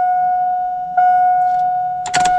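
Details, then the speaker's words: 2001 Chevy Silverado right after fuel pump replacement, key turned to prime: steady, clean mid-pitched whine of the new fuel pump with a couple of clunks near the end; pump primes normally and fuel gauge reads correctly. "ahí se escuchó la bomba ya que funcionó"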